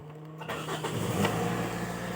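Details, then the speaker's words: 2010 Toyota Corolla Altis that had low power, dropping revs and shaking with the A/C on, after removed parts were reinstalled and codes cleared with a JP700 scanner: a quick clean start, revs rise smoothly and hold; normal start and rev. "ตอนนี้เครื่องก็เร่งเร่งขึ้นปกตินะครับรอบไม่ตกครับเร่งติดติดติดตีนเราได้นะครับเครื่องเร่งติดตีนครับผม"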